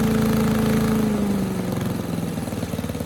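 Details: 1984 MTD Air Sweeper (MTD 245-692-000), 36-year-old Briggs & Stratton 5 hp flathead single, engine model 130212-1731-01; started first pull after spark plug wire tightened, steady high speed then smooth even idle; owner thinks high speed slightly slow, runs healthy.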